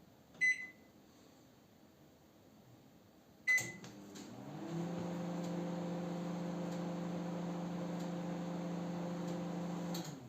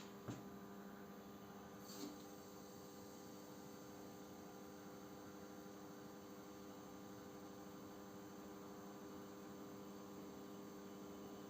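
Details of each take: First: Panasonic NN-GD577M microwave tested with a glass of water: two beeps, then a steady low fan-and-turntable hum for about six seconds before it shuts off or shows an error; the water stays unheated, and the magnetron was found to have failed. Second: Panasonic NN-GD577M microwave after its failed magnetron was replaced, heating about 200 g of water: a steady low mains-type hum with fan rush, even and uninterrupted; the oven no longer shuts off and runs normally under load.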